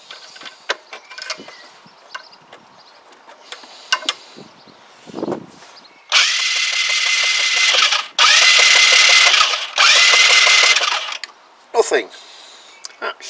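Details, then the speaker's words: Kymco Agility 125 scooter that was running but lost spark just from sitting, tried with a second spark plug: starter spins in steady long bursts with a high whir but never fires; crank no-start, still no spark. "now this definitely was running so if it's lost spark which it has it's done so the same it's done so just by it sitting there doing nothing"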